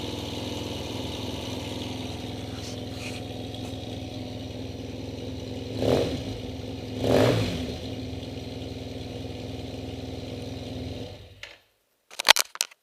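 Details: TMAX 500 scooter idling with a steady hum and two quick throttle blips. An odd mechanical note rides along; abnormal engine noise, cause not clear.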